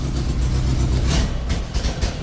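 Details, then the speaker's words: Old car on a Weber carburettor being repaired: loud, uneven low rumble with a chuffing, puffing edge as revs rise and fall; exhaust blowing. "So as you can hear, and the exhaust is blowing here, So we're gonna try and fix this car because, like I've explained, there's nobody at home after."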